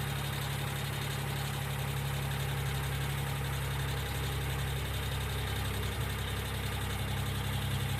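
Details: 1995 Geo Metro at steady idle: light, fairly quick ticking, about four a second, sounding like hydraulic lifter tick. B-12 fuel injection cleaner is added to the engine oil before an oil change.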